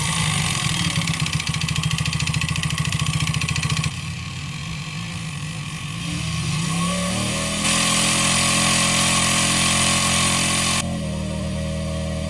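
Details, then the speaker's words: 139QMB 50cc engine built for deliberate piston slap: skirt shortened with an angle grinder, cylinder sanded for large clearance. A hollow rattling knock at idle, returning as the revs fall; it disappears with a little throttle. "On brzmi tylko na wolnych obrotach jak dodacie lekko gazu i później już tłok tak szybko zasuwa że nie jesteście w stanie wychwycić tego brzmienia"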